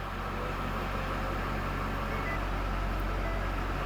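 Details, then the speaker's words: 2012 Ford F250 6.7 Powerstroke after a no-crank CAN communication fault, started after a long crank to prime the fuel pump: steady, even diesel clatter with a deep rumble, no misses or knocks. Normal idle. "I'm going to crank it again Tim yes there we go just took a while to Prime that pump"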